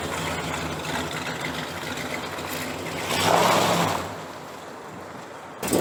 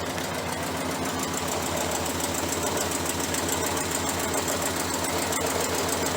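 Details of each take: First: 1968 Chrysler 300 with a 440 V8 and a replacement used carburetor, after a spark plug wire was put back on. A steady burble swells once with a throttle blip, then settles back without stumbling. It runs better now on all 8 cylinders: normal idle. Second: 1968 Chrysler 300 with a 440 V8, warm after running outside, with a spark plug wire found off. It idles with an uneven, loping beat and irregular stumbles, like a dead cylinder: rough idle.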